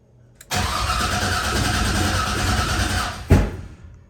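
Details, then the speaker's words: 1988 Chevrolet C30 with LS V8 swap, new 2.5-inch exhaust with headers: catches, runs rough three seconds, one sharp loud pop and dies; startup backfire, owner suspects computer wants VATS or O2 sensors, plans computer swap. "So we're getting backfire. Fuel pump's going on. It's almost like it wants to see VATs or O2s or something, and it's not."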